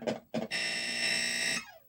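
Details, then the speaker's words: Millipede arcade PCB in test mode with a customer's POKEY chip installed: two short bursts then a harsh, buzzy, distorted tone cutting out; suspected bad or poorly seated POKEY, possibly a bad LM324 on audio out. "Boy. That sounds terrible. All right, is it his pokey that's doing that? Boy, that sounded bad, didn't it?"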